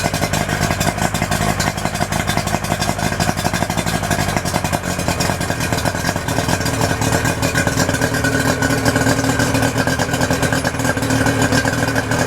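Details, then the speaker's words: 2008 Yamaha 90 hp two-stroke outboard after new spark plugs, fresh fuel, cleaned fuel filter: steady, even burble with no misses or hunting, water stream popping well. Normal idle. "sounds sounds pretty good water's popping good yeah great little motor"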